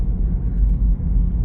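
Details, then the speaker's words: Low droning rumble from inside a slowly driven car, recorded with clamp-on wheel-bearing microphones; the noise seems to come from the right but is a worn left front wheel bearing. "It sounds like it's coming on the right side, but but nope, it's a left front."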